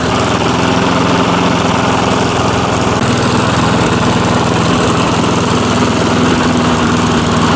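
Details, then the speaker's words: 1996 Murray 22-inch lawn mower revived after ten years dormant, running outdoors in cold snowy weather: steady, even small-engine buzz at constant speed with no misses, knocks or surging; rattles up okay, doesn't sound bad; normal running. "Well, it it rattles up okay pretty good. Doesn't sound bad."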